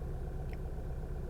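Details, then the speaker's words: 2012 Volkswagen CC 2.0 after VVT solenoid replacement (had rough idle, stalling, misfire and cam codes), cam timing within spec: low smooth even idle rumble, no stumble or miss after several minutes. Normal idle. "all right that is it it has been a few minutes and is not acted up I think we're good to go"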